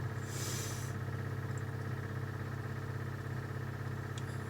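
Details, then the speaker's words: MGB GT: electric fuel pump heard running with a steady low hum and faint ticking, but no fuel reaching the fuel filter; blowing through it gave no pressure, so owner suspects a problem there. "you can hear the fuel pump going at the moment um we've got nothing coming through into our fuel filter"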